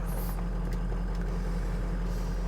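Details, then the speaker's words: 2005 Ford Excursion Limited, 6.0L Powerstroke diesel, 227k miles, built motor with new injectors and EGR delete, relatively cold start with wait-to-start light on a hot day: fires right up into a steady, even low idle with no misses or knocks; normal. "All right, this is a relatively cold start. I just pulled it out of the garage is all. Still has the wait to start light. Fires right up, as you can see."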